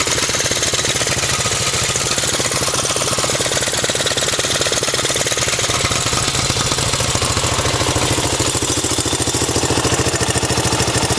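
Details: Quick, even popping beat from one of two 1984 Honda bikes, a Z50R mini bike or an ATC 200X, holding steady at idle with no misses or knocks: the single is idling cleanly and healthily.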